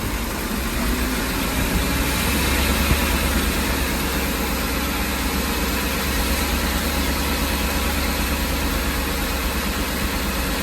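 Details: Ford E-350 engine at idle: low, loping, uneven beat with a shake that comes and goes, running rough but no misfire code set and no clear miss heard.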